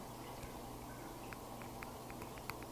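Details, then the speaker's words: Karearea 2207 quad motor bell rocked by hand: faint irregular light clicks over a quiet room; this motor has much more bell slop than the other three, owner plans to tighten it. "one of the motors had a lot more slop in the Bell than the other three motors and I'll probably tighten it myself and try them again on another frame"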